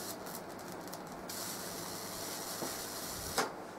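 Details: Full bridge PLL solid state Tesla coil, low power test after a re-soldering fix: steady crackling hiss of sparks with brief buzzing chatter at first and one sharp snap; arcing properly.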